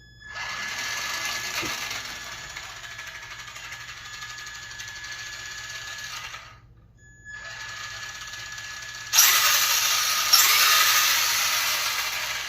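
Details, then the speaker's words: RC car on 2S battery after replacing worn parts, plastic gear setup: high electric whine with even ticking about four per second in gear train; owner suspects spur gear, not plastic gears, unconfirmed. "Sounds like a spur gear. I don't think it's my plastic gears."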